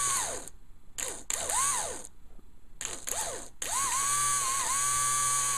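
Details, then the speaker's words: Old fuel pump bench-run on 12 volts: whine swoops with each short power burst then holds a steady buzz; pump noisy for two years, pickup found caked and clogged, owner suspects clog rather than bad pump. "this pumps been making noise since I bought the car about two years ago"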